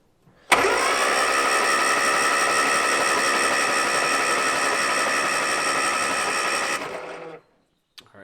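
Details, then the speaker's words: 1970 Morris 1300 (ADO16) barn find, long sitting, starter refitted and hot-wired: starter engages cleanly and spins engine evenly for about six seconds; cranking healthy. "just because I want to see easily from here if it turns the engine or not it does that is great"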